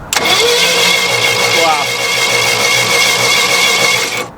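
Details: 1980s Yale/Eaton 6,000 lb forklift, points ignition, sat eight years, plugs just reinstalled and no coil fitted: steady, even cranking rhythm, each compression stroke alike; healthy cranking, compression appears even, engine possibly brand new.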